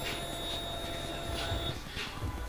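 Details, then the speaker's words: In-tank fuel pump priming on turbo LS-swapped S-10 after retightening a clamp at the tank thought to have been loose and spraying fuel; quiet steady hum under two seconds, no hiss or spray; pump seemed louder before, now normal. "I actually think that I could hear it before like spraying it's the pump sounded louder and nothing's coming up now"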